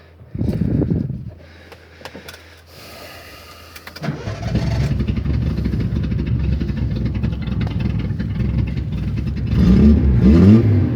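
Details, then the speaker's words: Datsun 260Z project car on start-up: engine cranks, catches and settles into a lumpy idle with raspy puffing at the rear; exhaust leak somewhere at the back. "got a little bit of an exhaust leak back here in the back somewhere you can hear it"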